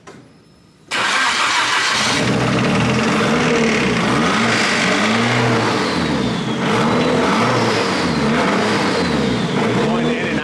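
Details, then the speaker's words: Nissan S15 SR20 four-cylinder, second block after debris in the engine: fires up and revs with a deep, intermittent bottom-end rod knock, not the head. "That's that rod does knock. not sound good. That's bottom end, for sure. That ain't head."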